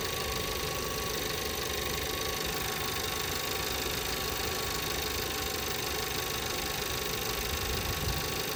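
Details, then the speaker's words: 2017 VW Passat 1.8 that misfired on all cylinders after a few minutes, after replacing the camshaft adjustment (timing) solenoid. Steady, even idle for about three minutes with no stumble, skip or knock and no check engine light; normal idle. "so far so good SK no check engine line or yet pry good pretty good pretty good pretty good"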